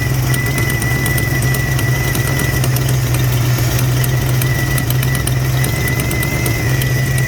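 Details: Supercharged 1991 Ford Mustang 5.0 L LX with an exhaust leak and moisture from the tailpipe: steady low idle with a faint uneven ticking on top, running rough like a misfire plus exhaust leak; a knock is heard later.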